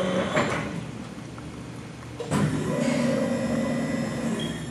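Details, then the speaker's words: 1995 RAS 67.30 CNC folding machine, 12 ga x 126 in, CNC 3000 control, extended back gauge to 120 in: smooth motor whir as the gauge travels, firm clunk on stop and restart, no grinding; normal back gauge travel. "That was the back gauge moving. That's a 130-degree bend there. You can go as far as 180 degrees. Plus you can do a hem with it too. You hear the back gauge go all the way out to 24 inches."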